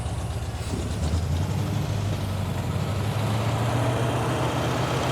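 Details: 1978 Jeep CJ5 with 304 V8 and 4-speed manual, barn find stored for years, just got running: rough, loping idle slowly climbing in speed on its own without throttle input; cause still unclear.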